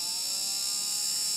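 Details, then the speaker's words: Motor and PWM speed control from an old cordless drill/screwdriver. As the trigger raises the duty cycle past minimum, the thin high whine brightens and the motor starts turning. Normal PWM controller sound. "kirkastuu vähän tuo ääni ja moottorikin lähtee jo pyörimään."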